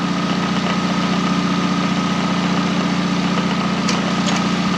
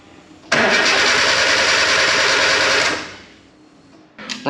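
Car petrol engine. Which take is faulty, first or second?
second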